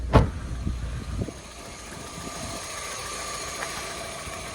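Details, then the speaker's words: 1997 Toyota Corolla after an oil leak and an oil top-up: thump of a start, then a steady, even idle with a faint high whir in the background; the engine settles and runs smoothly and sounds healthier. "sounds like it's running healthier crazy all right well we'll leave it running for a bit see what happens"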